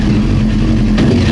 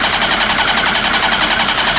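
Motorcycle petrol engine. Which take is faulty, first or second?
second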